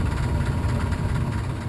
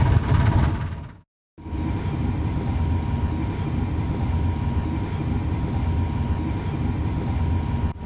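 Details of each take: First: Furnace blower running: low rough rumbling rattle over a steady blower hum, indicating an imbalance at the fan blower motor squirrel cage wheel; blower wheel imbalance rattle. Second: Furnace blower after cleaning a dirty, imbalanced squirrel cage: steady, even low rumble running smoothly, earlier rattle gone.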